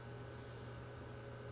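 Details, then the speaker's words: Plenty Cool portable air conditioner in a workshop closet, owned since about 1999-2000, never any problems, started up for New Year's Eve: quiet steady low hum with soft airy fan hiss, no rattles or knocking; normal running. "since like 19989 9 somewhere in there maybe 2000 had it in a long time never had any problems with it though works every time I need to use it it's working"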